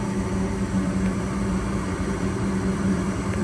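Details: Goodman furnace: steady low hum with a constant drone near 200 Hz, even and unbroken; furnace running smoothly with the draft inducer fan holding.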